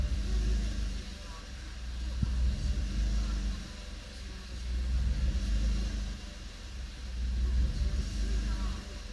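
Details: Suzuki Swift Sport ZC32S petrol engine at idle: speed rises and falls every few seconds, classic idle hunting/unstable idle; throttle valve cleaning tagged as the remedy.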